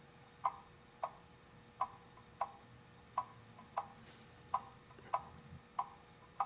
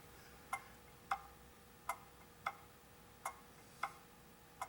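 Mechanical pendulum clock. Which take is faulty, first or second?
second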